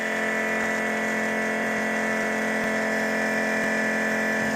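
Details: New nitrous fuel system, fuel pressure set at 13 then rechecked after snugging a leaking fitting: smooth, constant electric pump whine at even pitch, no surging or sputter; pump running normally, pressure holding.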